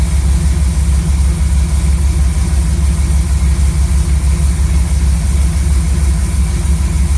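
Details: Chevy C10 V8 truck running a newly installed Maxpeedingrods Quadrajet carb: deep, even idle with a steady, regular lope and no knocks or stumbles. Idle was turned up quite a bit and mixture set to about 15 in of vacuum. Normal idle.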